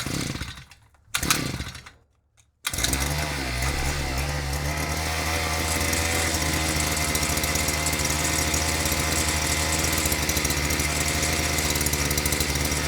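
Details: Harbor Freight Predator auger after fuel lines and carburetor replaced, fuel/air screw and idle screw adjusted: pull-start, catches and holds steady even buzz with no surging or misfire; back to normal running.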